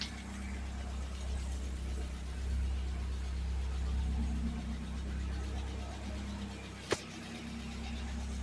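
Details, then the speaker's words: 1979 Fiat idling after a new fuel pump and relay, judged a major improvement with a nice startup. Smooth, even low idle holding steady with no misses, apart from one sharp click: normal idle. "Major improvement. That sounds so much better. The startup was so nice."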